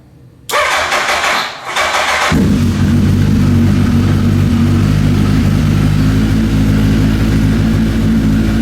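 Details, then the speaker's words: Gen 1 Suzuki Hayabusa after cam chain and kickstand switch replacement to cure a long-running miss: four-cylinder cranks, fires and settles into a steady, even fast idle, the earlier engine rattle gone, confirming cam chain noise. "Okay, you can't hear it, but that rattly sound that it has coming from the engine is already gone."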